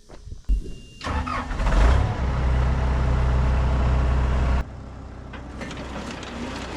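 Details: Swather header test run after clearing a binding issue, following damage the day before: brief start-up, then a steady even low drone for several seconds with no knocking or binding, then drops back; header runs smoothly.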